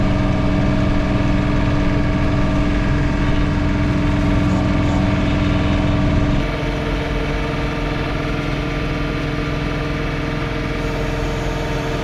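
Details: John Deere 3 Series compact tractor snow blowing, accidentally in high range; steady engine drone with a humming vibration whose pitch and tone change with rpm; owner hopes it is not a bearing, source undetermined.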